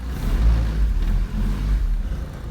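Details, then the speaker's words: Honda EG idling after the exhaust was given more clearance from the subframe: low, steady rumble with slight rev rises and no rear rattle; motor and transmission mounts still need fixing. "good thing is that you don't hear that rattle in the rear anymore it's just idles pretty good"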